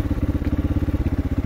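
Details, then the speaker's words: Victory MRX 150 after rerouting, protecting and re-terminating the wiring harness at the steering neck, which caused dying on throttle: quick even thumping idle about nine beats a second, no misses, running properly. "la motocicleta nos prende bien ningún inconveniente apagamos alzamos el encendido y la moto quedó óptimas condiciones"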